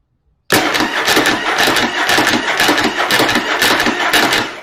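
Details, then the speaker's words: Engine cranking with spark plugs in on a plain battery, after a Bendix Clip Clamp was installed on the starter drive: an even, unbroken cranking rhythm, slightly slower, with the gear staying engaged. Normal cranking after the fix. "Oh, looky there. It didn't miss a lick on that one. Started cranking a little bit slower, but that actually may have helped some."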